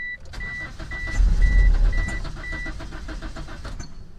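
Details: 1997 Mitsubishi Eclipse RS 420A, fuel pump primed, no spark on cylinders 1 and 4: starter spins at an even churn, roughly three compressions a second, never catches; both camshafts were out of time (exhaust at 11, intake at 1 o'clock).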